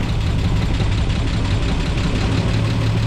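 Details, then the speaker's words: 1949 Chevy Fleetline after refilling coolant and bleeding, battery reinstalled: deep, low idle loping unevenly on startup; owner asks why it's so rough, cause unclear; rough idle. "Let's start it. Not running. I was like, why is it so rough?"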